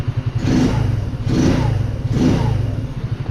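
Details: Baotian 125 scooter with a newly fitted Chinese carburetor, warm after three laps, nearly 9000 km, fuel in the red. Three brief revs about a second apart climb cleanly and settle back to a steady low idle: normal throttle blips.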